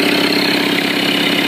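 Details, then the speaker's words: 1985 Toyota 4Runner with an imported 2.8L 3L diesel (about 60,000 miles, DTS turbo kit at ~5 psi, compression even and high): starts right up into a steady, even diesel clatter at idle, no misses or knocks. Normal idle. "It starts right up."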